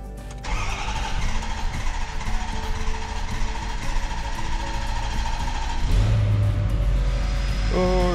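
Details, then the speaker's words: 2011 Ford F450 6.7 diesel with code P1266 injector short/misfire, after injector replacement and programming: it cranks, catches quickly and settles into a steady, even idle with no misfire, running perfectly. "runs like a dream. Look at that. Perfect. I'm happy."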